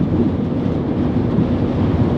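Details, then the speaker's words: Honda Element cabin at 80 mph on the freeway, AC off, after replacing the weather stripping: steady, even low road and wind roar with no door whistle; some road noise remains but it is significantly quieter, normal. "I can still hear some road noise, but I will say that it is significantly quieter in here, and I'm not having to scream to have this conversation with passengers, so I'm liking what we did."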